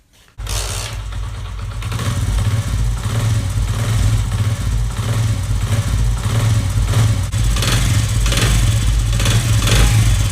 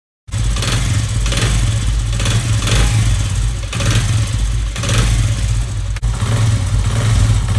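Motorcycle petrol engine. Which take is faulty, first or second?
second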